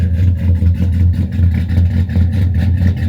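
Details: Cammed LS Silverado with ported heads, FAST intake, 1000 cc injectors and long-tube headers, first start after top-end upgrade: loud idle with an uneven stumbling lope, two or three stumbles a second, fuel smell; one dead cylinder from a non-firing injector.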